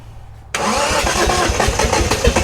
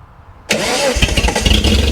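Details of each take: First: Restored Datsun Z, first start attempts after restoration: engine fires after short crank, runs lumpy and uneven for a few seconds before settling; rough start, cause not confirmed. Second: Restored Datsun Z at initial startup, following a timing change: a quick crank catches and fires straight into a smooth, even settling idle; a clean, healthy start, though the interior gauge shows no oil pressure.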